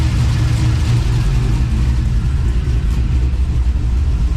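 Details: 1999–2007 Chevrolet Silverado LS V8 just after valve cover gasket replacement and ground wire repair: deep, steady rumble with an even beat and no knocks or ticks; healthy smooth idle after repair.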